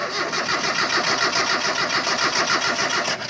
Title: MITSUBISHI ADVENTURE 4G63 GAS ENGINE ''CRANKING NO START''